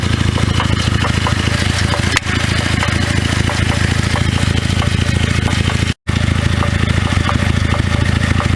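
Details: 2009 Cadillac CTS 3.6L LY7 RWD with 6L50E transmission; loud engine with an irregular knock, two to three a second, loudest at the transmission inspection cover and too inconsistent for a rod knock; flexplate knock, flexplate outer ring separated.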